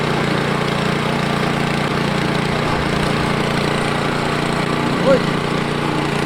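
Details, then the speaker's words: Ariens Deluxe 28 snow blower (921046), low hours, started after two years sitting: small engine holds a steady, even chug with no misses or knocks; normal running while warming up. "yeah i'm gonna let that warm up for a little bit uh run it through his faces"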